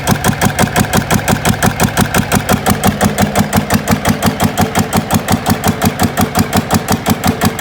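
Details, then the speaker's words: GA70 single-cylinder diesel on a stand; water entered the sump, and the sump breather appears blocked: steady even thump about 170 beats a minute, clean firing, no misses; normal running, good compression. "แต่ว่าแล้วเครื่องแรงอัดดีอยู่นะ"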